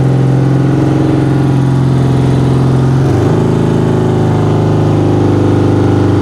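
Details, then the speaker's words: 1975 BMW R90 motorcycle, first start after 12 years of poor storage; engine fires and runs steady and even, settling to a slightly higher smooth note, no knocks or misses; a little smoke of unknown origin. "ça fume un peu je sais pas très bien d'où ça vient alors évidemment j'ai dit je vais recharger la batterie je coupe la vidéo et puis j'ai dit remets un coup ça démarre tout de suite c'est dingue"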